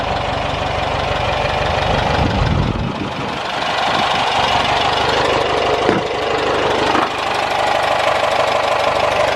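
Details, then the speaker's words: 1973 Volkswagen Thing air-cooled engine after new plugs, wires, filters, exhaust, fuel filter and distributor: busy, slightly clattery idle with a steady beat and a couple of small bumps; runs evenly, healthy. "Sounds really like it should. It's really good."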